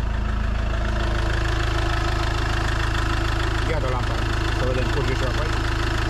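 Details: Iveco Daily van diesel: even, steady diesel clatter at idle, about three beats a second, no knocks or misses; normal diesel idle.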